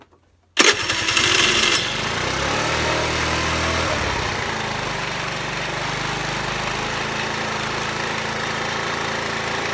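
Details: Peugeot Vclic scooter, previously no spark and not starting, after a faulty ignition coil was temporarily replaced with a new one, catches straight away, flares briefly, then settles into a steady even two-stroke buzz.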